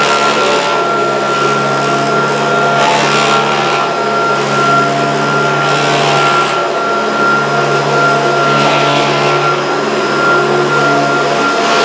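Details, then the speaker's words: Kirby upright vacuum: steady motor drone with a loose rattle and bursts of clatter every few seconds, heard when he thought it was switched off; owner suspects the fan or an incorrectly fitted agitator, unconfirmed. "Ooh, I don't like that rattle. I thought I'd switched it off, I obviously hadn't."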